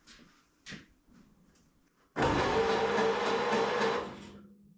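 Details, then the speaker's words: 1931 Ford Model A roadster, sitting since 1962, starter tested in the car for the first time: it engages with a sharp clunk, spins steadily for about two seconds and winds down evenly. The engine turns over freely; normal starter cranking. "It actually sounds alright, so should be good enough to get it running, if it will run."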